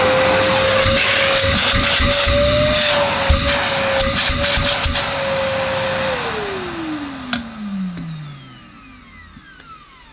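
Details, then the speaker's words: Millenea Apollo 1 egg-shaped metal-bodied vacuum cleaner: even, steady motor whine at one pitch, not too noisy, like a Henry motor in a metal casing, winding smoothly down after switch-off; healthy motor. "It's hard for you to judge the sound through your speakers and via my microphone, but it's not too noisy. It's not whisper quiet. It's a bit like, it's probably what a Henry motor would sound like if it was in an all-metal casing, perhaps."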